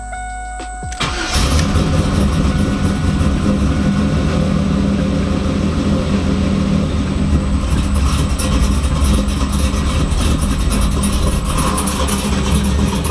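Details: Freshly built LS V8 in 2002 Camaro SS, repeat start after VATS security disabled via HP Tuners fixed no-start: short crank, catches at once, steady even idle with no misfire.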